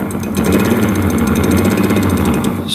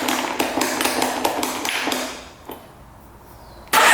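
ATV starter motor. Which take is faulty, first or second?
first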